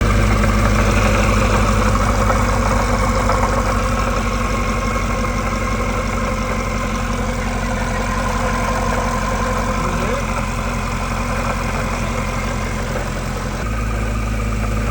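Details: 2018 Chevy Camaro 2SS 1LE V8, 15k miles, 2.9L Gen 4 Whipple supercharger at idle: steady rough rattling clunk about four beats a second; owner suspects failing main shaft bearings, play in the top pulley.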